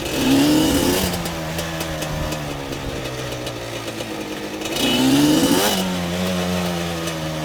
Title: weird noise